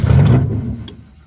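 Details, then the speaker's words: Rebuilt Toyota 4AGE in a 1975 Corolla KE35 after head gasket install, no exhaust on the manifold: one loud, raw unmuffled bark fading over a second; open manifold, ignition timing obviously off. "That's open manifold. Holy [ __ ] that's loud. Okay, so timing is bad, obviously."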